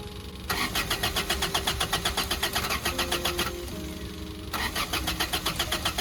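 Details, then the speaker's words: Toyota car on jump cables, brake parts cleaner sprayed into the open intake, microphone outside: strong, even cranking about four turns a second, stopping and retrying, never catches; another car idles nearby. Cranks, no start. "all right so hopefully you guys heard it um I know the Honda is kind of loud so it it might have picked it up but hopefully you guys heard it trying to crank sprayed it"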